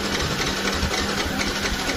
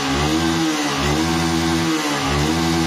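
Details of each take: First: Yamaha R15 motorcycle that won't start at all, check-engine light normal: quick, even starter cranking with light, soft compression pulses and no firing; low compression from a leaking exhaust valve held open by carbon. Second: Yamaha R15 motorcycle after repair of a stuck, obstructed valve that caused low compression and no-start: the starter whirs in pulses, then the engine catches and settles into a steady, even idle, running normally.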